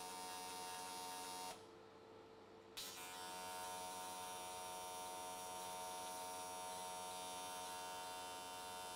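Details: AC TIG welding aluminium S13 catch can, square wave at 95 Hz, tried to smooth the arc: steady, even high buzz with smooth tone and one brief break, a clean stable arc that went all the way around in one session.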